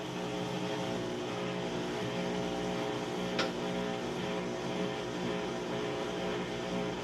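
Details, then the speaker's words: Crosley washing machine on heavy, warm, max full load, starting its final spin: steady even hum from pump and motor, clean tone, no knocking or scraping, not shaky; normal washer drain and spin-up. "It's draining out the water as it starts up to spin right now."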